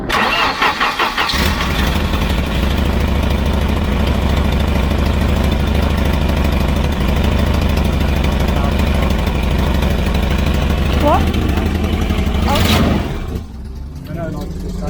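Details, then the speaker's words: Volvo 240 Classic wagon (245), cold start, oil contaminated with water, white exhaust smoke, suspected blown head gasket: cranks, catches and settles into a loud, blatty, uneven idle; worn exhaust needing replacement. "Oh ja, es braucht einen neuen Auspuff. Ja, ja weil es so laut ist."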